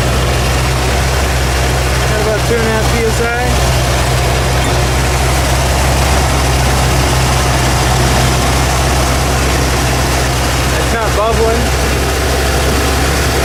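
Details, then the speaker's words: Ford F150 with old carburetor refitted and choke set low, owner suspecting an old hardened fuel line caused starting issues; deep, steady exhaust rumble at idle, even with no stumbling or misses. Normal idle. "Choke set really low. There we go. You hear how it rumbles?"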